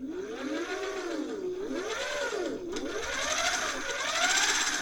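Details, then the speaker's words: Thrift-store Singer 401A Slant-O-Matic sewing machine with the clutch released: the bobbin winder turns by itself with a light, smooth whir that swells and eases with handwheel speed, with no knocks or grinding; normal bobbin winder operation. "Let's see if it turns. Yep, all by itself. I don't have to even push on it."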